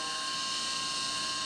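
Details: CNC mill with 3/16 inch end mill cutting full-slot recoil grooves in an AR15 gas block Picatinny rail; steady spindle whine with clean, constant tones and no warbling or squeal, a smooth chatter-free cut.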